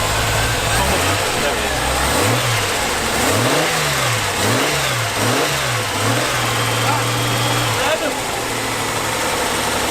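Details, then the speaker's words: Reliant Scimitar Essex V6 pushrod engine after fixing noisy tappets (rattling at the top of the engine), revved on the carburetor from the front: several smooth, quiet rev sweeps with no tappet noise; big improvement. "That's so quiet."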